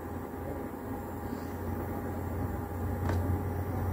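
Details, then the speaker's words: HP LaserJet Pro M401–M404 series printer powered on after repairing the door-open mechanism that caused the "door is open" error: low, steady motor hum with one light click, motor turning normally; healthy printer motor run after the fix. "ድምፁ ይሄ ድምጽ በጣም ማለት ኖርማሊ ሞተር ተሽከረከረ ሰራ ነው ማለት ነው።"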